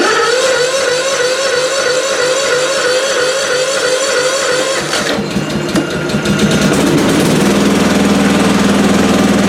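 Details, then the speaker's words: Lawn mower on recovered weak 12 V lead-acid battery: slow crank that holds speed without tailing off, then engine catches and settles into steady even run; battery recovered, charging system at 13.5 V. "but it's it's holding speed it's not tailing off or anything"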